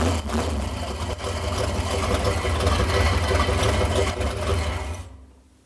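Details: 1968 Dodge Coronet V8 four-speed, long-stored and just revived: idles with a loose, uneven metallic rattle over the lope; header collectors working loose at the flanges.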